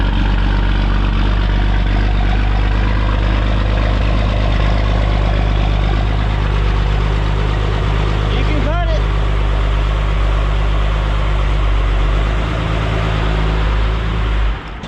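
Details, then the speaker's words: Brother's 12-valve diesel truck, which leaks oil badly, known not to idle. A steady deep rumble sags and dies out after about fourteen seconds; it won't hold idle. "You can do that. Yeah, remember it doesn't idle."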